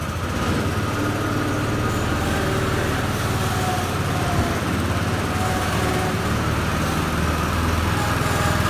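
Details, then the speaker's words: 2013 Walker T23 commercial mower, 23 hp Kohler twin, revived after years in a paddock, with new hydraulic line, cutting grass: steady even drone, pulling smoothly, no knocks, misfires or ticking; normal running under load. "well as you saw it was Maring really well in cutting the grass well and I uh was really enjoying it it was going good"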